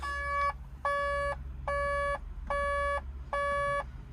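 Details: 140 LCR excavator, cab: a steady pulsing alarm, about one beep a second, over a low diesel idle; SCR malfunction reported, display shows catalyst (AdBlue) tank level low.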